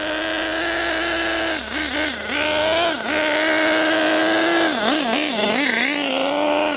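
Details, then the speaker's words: New HPI Savage nitro engine still running in: high-pitched buzzing holding a clean steady rev, dipping and snapping back crisply on throttle blips; runs smooth and even. "sounded really good. I say that was lovely."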